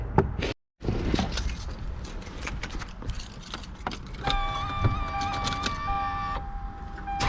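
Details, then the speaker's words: 2003 Lexus GS300 with 270,000 miles, just after an oil change: keys rattle, short steady cranking, then it catches and settles into an even idle. A clean, normal start-up. "So, we going to fire it up and see what it do. Looking nice."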